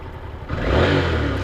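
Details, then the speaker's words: Yamaha TDM850 twin riding with no cam chain knock at all, running smooth and quiet after the cam chain tensioner was removed and pushed in one more notch; previously a loud rattle that grew over last season. "сейчас еду никакого стука нет абсолютно мотоцикл едет очень мягко"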